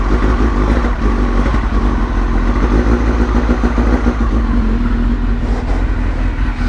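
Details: Suzuki GSX-R motorcycle after new fuel pump and Power Commander: deep, steady engine note with firm, even beat, no misfire or stumble; running healthy.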